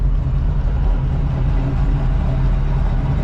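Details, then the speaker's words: 1985 Oldsmobile Cutlass Supreme V8 with a brand-new carburetor and headers, after driving with abrupt stops and turns without stalling. Deep, steady low rumble with an even beat and no stumble or miss. A normal, smooth idle. "It's got a nice idle. You like it? I love it."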